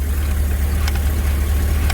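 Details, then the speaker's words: GMC with 6.0 V8, warming up: smooth, deep idle with no tapping or earlier clattering even when manipulating throttle body; normal idle. "even if I manipulate this I don't get any noise remember that clattering noise I got nothing"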